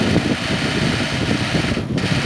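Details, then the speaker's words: Recently installed Comfee split air-conditioner outdoor condenser: a steady fan whoosh with a buzzy, uneven low rattle. A gap in a loose side panel lets it vibrate, and pressing a finger on it relieves the noise; panel vibration rattle. "essa folga sim ela começa a vibrar"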